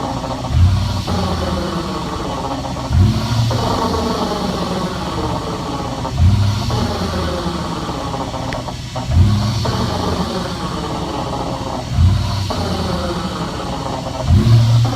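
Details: 2005 Toyota Tundra after a gear install, coasting on deceleration: low drivetrain drone with a faint steady whine and dull surges about every three seconds; gear noise suspected, not confirmed.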